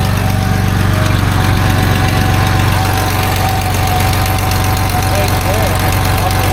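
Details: 1989 Dodge W100 truck at idle after exhaust pipe welding: steady low idle with a quick regular puffing tick about three times a second; exhaust leak suspected, being located by covering a spot with a wet rag.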